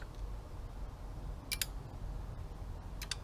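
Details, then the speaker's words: Donor engine wiring harness being tested in a 1972 Super Beetle, power applied to ECU: two sharp double clicks about 1.5 seconds apart as relays pull in normally, connecting to OBD2. "Yep, relays are clicking. It's connecting to OBD2."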